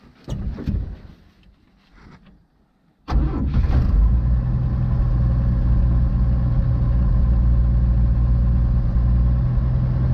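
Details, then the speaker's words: 1952 GMC mega truck six-cylinder, sat a while with old fuel, new fuel and Seafoam added, choke opened: after short crank catches into low idle that keeps stumbling and sputtering; rough sputtering idle, old fuel suspected, not confirmed. "Definitely sounds a lot lower. Still sputtering. Yeah, it had a whole bunch of old fuel in here."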